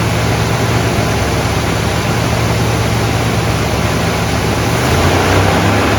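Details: 1972 Buick GS Stage 1 SunCoupe V8, sat about 6 years: deep idle with loose, uneven lope and surging, won't stay running at lowered idle; suspected throttle plate gasket, not confirmed.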